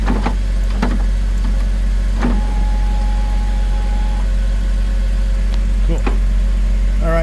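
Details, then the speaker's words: 2003 Porsche Boxster after window regulator replacement, engine idling: the window motor hums smoothly up and down with no clicking, catching or binding; normal power window operation. "I'm going to go ahead and run this up and down a few times make sure we don't have any catching or [Music] binding that sounds good doesn't no"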